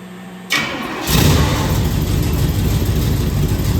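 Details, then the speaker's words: 1968 Firebird, engine sitting about 42 years, first start: cranks briefly, then runs rough with a loose, lumpy beat; owner suspects bled-down lifters or valves out of adjustment, unconfirmed. "Might just be the lifters that bled down and either that or I didn't run the valves."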